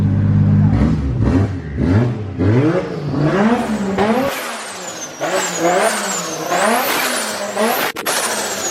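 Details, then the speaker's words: Normal revving of freshly built 1.5JZ engine just after first start; clean blips rise and fall smoothly through the rev range, even and crisp, no knocks or misfires. "yeah so much faster like him barely smoothly running the board now it oh yeah"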